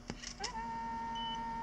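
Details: Aiwa HS-JX50 personal cassette player in playback, non-Dolby mode: after handling clicks, a steady high whine with an overtone; owner attributes it to bad capacitors, record function also not working, plans to replace all capacitors.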